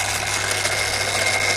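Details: Daiwa DR-7500 antenna rotator (Kenpro KR-400 equivalent), upgraded, bench run: steady high motor whine over a constant low hum, no grinding, clicks or surging; normal running.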